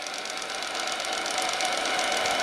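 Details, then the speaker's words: RC tugboat Paterson AL5 steam engine with homemade one-liter boiler, running slowly after reversal: quick, light, even chuffing, steady and fairly quiet, no knocks or rough beats; normal running. "Hop. Hop. Hop. Hop. Et il fait pas trop de bruit, écoutez. Le moteur vraiment."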